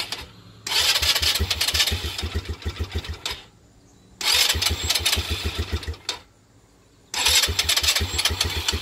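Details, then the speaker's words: 2018 Polaris Phoenix 200 ATV after being hauled and shaken: three short ragged bursts, each catching two or three seconds then dying; stalling caused by factory-wrong carburetor needle clip position, found by dealer. "here's a video after I loaded it up and and shook it around a little bit they want to sounds like it wants to start"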